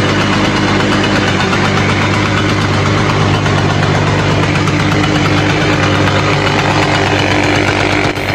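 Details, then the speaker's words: Simson S70 moped two-stroke after fitting an S51 exhaust (Chinese body, original tailpipe) in place of the owner's louder old exhaust, with a replacement carburettor fixing a fuel leak: steady, even, muted burble, no misses or knocks; normal running. "Các bạn thấy đó, âm thanh từ ống xả này êm hơn rất nhiều Ống xả cũ của Chris thì âm thanh to hơn rất nhiều"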